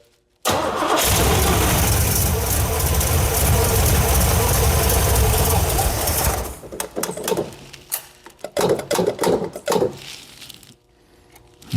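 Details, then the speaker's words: Cammed Chevy 350 (.040 over, Lunati cam, Holley 650 carb) swapped into 1987 Firebird, first start: steady cranking for several seconds with no firing; cranks but won't start, fuel pressure and return seemingly not building. "Doesn't seem like we're getting the fuel pressure the return."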